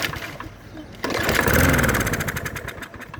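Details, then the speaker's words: Customer's mower that sat all winter in snow, clamp fitted, starting fluid in intake: quiet cranking, then it fires for about a second and fades out; runs only briefly, water in gas suspected, carburetor likely next. "Okay, it popped off. So, that's a good sign."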